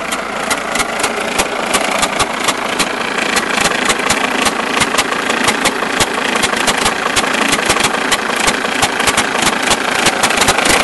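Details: Mercedes-Benz S210 E290TD diesel at idle with a quick, slightly uneven knock about three times a second, caused by a broken alternator one-way clutch pulley.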